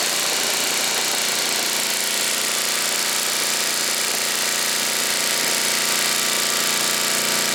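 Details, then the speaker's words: 1980 Homelite 5000 W generator with cast-iron Briggs single-cylinder engine and changed exhaust, running a 220 V 3 hp air compressor (about 3,400 W): a loud, steady drone with raspy exhaust that holds an even pace; it runs fine under load. "okay seem to take a 30 400 watt load pretty good"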